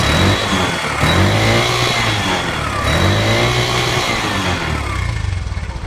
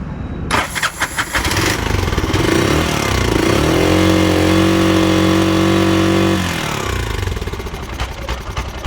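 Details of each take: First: Bajaj BS3 auto rickshaw that had air filter noise and a timing problem; a timing chain fault was suspected and it is now fixed. The engine revs up and settles smoothly with an even exhaust beat and no rattle or knock, normal running. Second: Bajaj BS3 auto: cranks, catches and settles into a choppy, uneven idle with hollow drone; air filter blocked (waste cloth stuffed in) and ignition timing set wrong, causing rough running.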